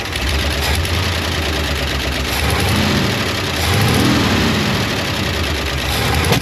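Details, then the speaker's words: 1972 International 1110 pickup after ignition overhaul (points, cap, rotor, coil, plug wires): idles fine but won't take throttle, revs rise slowly and stumble with occasional backfire pops; cause a loose accelerator pump linkage. "fire is up and idle's great it just won't take any throttle and it's backfiring"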